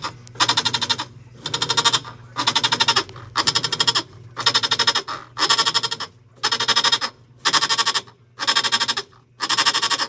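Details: Whirlpool top-load washer agitating: loud croaking groan about once a second during wash, from a worn, loose drive pulley.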